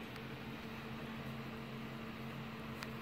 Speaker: so certainly we don't hear anymore squeaky squeaky DS we'll figure this one a work and we'll let it go with this